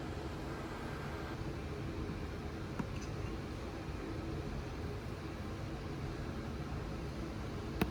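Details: Audi RS6 C7 twin-turbo V8, first start at idle after engine removal, teardown and repair for misfire and rattle (fault found behind timing cover): quiet, steady low rumble, no stumbles or skips, a couple of faint ticks; normal idle, misfire gone.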